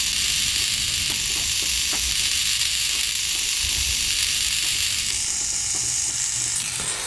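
Steady high-pitched gear whine as it sweeps back and forth, even with no skipping, crunching or slipping; a healthy servo.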